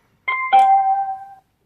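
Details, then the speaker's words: dodocool mini aluminium Bluetooth speaker switched on with a long press of its single button: two quick rising chime notes lasting about a second, clean and loud, the normal power-on tone. "Alors pour la connexion, il suffit de faire une pression longue sur l'unique bouton."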